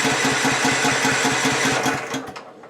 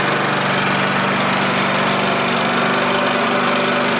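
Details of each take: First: Husqvarna LTH 1542 lawn tractor, not started in 5 or 6 days, after a drive belt change. Brisk, even starter cranking at about four pulses a second for two seconds, then it stops without catching. Cranks but won't fire. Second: Husqvarna LTH 1542 lawn tractor running after a drive belt change and after starting on the third try. Small single-cylinder engine holds a steady, even buzz with no misfires or surging. Mower runs healthy.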